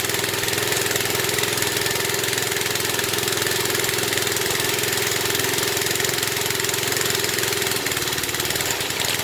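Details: 1970s Briggs and Stratton single-cylinder rotavator engine, revived after about 3-4 years unused, at full throttle: steady high-speed even buzz, no stumbles or knocks; running properly.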